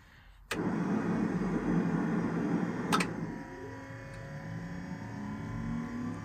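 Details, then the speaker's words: T-72 tank engine start after repairing the broken electric engine oil pressure priming pump: the pump hums for a couple of seconds, then a clack and rising whine as the electric starter spins up cleanly. Normal starter cranking. "sounds like it's working"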